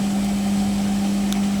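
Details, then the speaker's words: Hotpoint Ultima WT960G 7 kg, 1600-spin washing machine with a brushless motor, on a normal spin cycle: quiet, smooth, steady low hum with no motor whine. "now as you can hear the machine is quiet"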